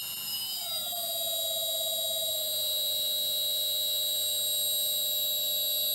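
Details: New replacement three-phase motor for a shaper, run on the floor from an inverter stepped from about 16 Hz upward: high steady whine whose tone slides down and settles; smooth, but a bit noisier than the ABB motor.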